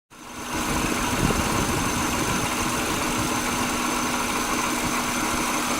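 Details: 1999 Subaru Legacy Outback, EJ25D 2.5L DOHC, 374,200 km: idling engine runs slightly unevenly with an irregular, on-and-off knock concentrated at the rear driver's side, only audible at idle; engine also idling rough and vibrating more than usual.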